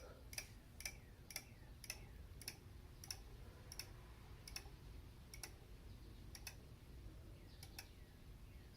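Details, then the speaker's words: BMW E90 M3 engine cooling fan, flipped over: light regular ticks about twice a second as the off-balance fan blade rubs the shroud, likely causing cracks. "So obviously this fan is off balance, and you can see here actually is where it rubs on the shroud."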